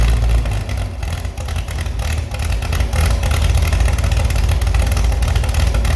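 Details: Restored Chevy SS engine after lowering the fuel level: picks up cleanly on the throttle and settles back without stumbling or knocking; responsive, healthy running.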